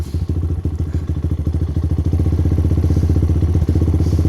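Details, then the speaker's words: Lifan KP Mini with a swapped 300cc 4-valve ZS175FMN engine and a newly installed FCR35 carburetor, with no choke access. Just started cold, it thumps deep and rapid at a raised idle, uneven at first then steadying, while being warmed up. "I was just trying to let it warm up a little bit let it warm up a little bit I just started it God damn still turning the idle down but like I said I don't have oh oh oh oh oh oh I don't have access to the choke"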